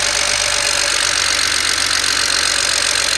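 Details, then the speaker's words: BMW 335i N54 first start after replacing bank 2 injectors (cylinders 4-6), injector coding and new spark plugs: starts well, smooth steady idle with the usual busy high injector ticking over an even hum; normal idle. "but let's go to start it actually it started off pretty good right there"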